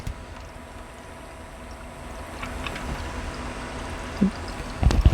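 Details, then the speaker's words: New server build liquid cooling loop, no leaks seen: soft irregular trickling and gurgling over a low pump hum from air trapped in the radiator and water block. "be able to hear the gurgling. That's air caught in the radiator and the water block."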